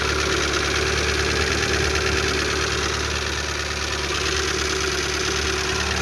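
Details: Lada Largus 1.6 16-valve 129 engine, after hydraulic lifters were replaced, at cold-start idle: a fast, fairly even tick about three times a second over a hum loud from a torn exhaust flex pipe; the knock goes quiet once warm; cold-start valvetrain ticking.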